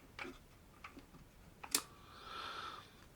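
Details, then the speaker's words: 1950s Agfa Isolette Mk II medium-format folding camera winding on film: a few soft clicks then a short light grinding whirr in a quiet room; normal for this mechanism. "so as we wind on you'll hear a little grinding and clicking"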